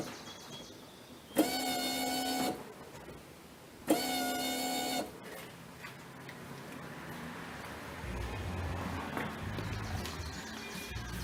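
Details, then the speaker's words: Ford Mustang after fuel filter replacement, key cycled repeatedly; two short electric buzzing whirs about a second each, pump filling the new filter. Normal fuel pump priming, no leaks. "the first time it's going to sound a little different here yeah it sound like the pump was pumping and it was up the filter"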